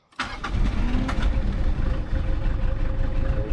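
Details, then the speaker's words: 1995 Mitsubishi Delica L400 with 4M40 diesel, 182,000 km, cold morning start with glow plugs off: brief crank, then rough uneven misfiring and smoke from unburned diesel due to one failed glow plug; miss disappears once warm. "can see here it started, fired up, and you can hear the misfiring. Yeah, it has a miss, and it's smoking. Just unburned diesel fuel."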